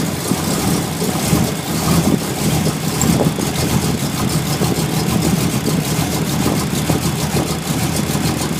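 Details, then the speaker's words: Ford Mustang with a persistent rough idle since first fired up, checked while setting timing with mark on cylinder one; low, lumpy idle with an uneven beat and occasional stumbles; rough idle. "and that's all it's been doing since Monday when I first got to fire up"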